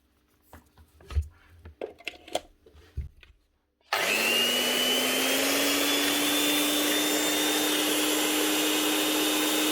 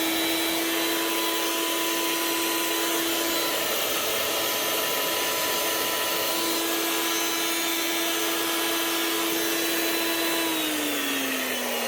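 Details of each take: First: Old Makita 9609B 9-inch angle grinder after new lead and bearings, test run: steady even high whine with no rumble or grinding; grease still settling, maybe slight gearbox noise, sounds much better. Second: Old Makita 9609B 9-inch angle grinder running free: steady high whine under a coarse, gritty roar, then spinning down; worn bearings, replaced along with the lead and head to quieten it.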